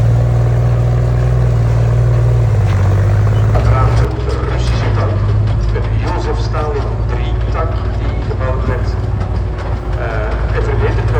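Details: Tiger II (King Tiger) tank driving: deep, heavy engine rumble under load with an uneven, stumbling beat instead of a steady pulse; engine misfiring.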